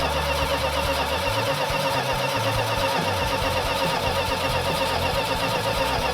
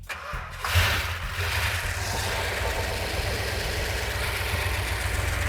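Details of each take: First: Freshly rebuilt Plymouth Cuda 340 V8 with compression restored but a vacuum/intake leak, so it won't idle under 2000 rpm. A metallic, tappet-like clatter rides over the fast idle; the rockers are being pulled to check for oil galley blockage. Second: Freshly rebuilt 340 V8 installed in Cuda, first start in car with ballast resistor ignition: cranks briefly, catches cleanly into steady even idle with no knocks or misses, sounding as good as on the engine run stand.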